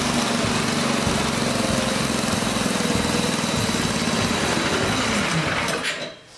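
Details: Old snowblower small engine, started on choke and fast with electric start after cleaning and fresh fuel: catches and runs with fast, busy, even buzz about six seconds, then dies away; normal running.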